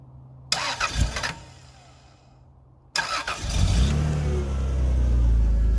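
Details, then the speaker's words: Rover 800 V6 started after standing two to three years, on stale fuel with a jump battery; starter cranks briefly, second attempt catches and settles into steady even idle with low hum; normal start. "running on stealth Fuel and it's she sounds cool that's beautiful"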